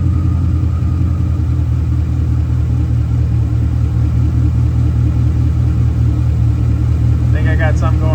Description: In this video I get the lt1 swapped Mazda running and moved onto a lift to finish the exhaust and I find out I have a misfire caused by a stuck injector.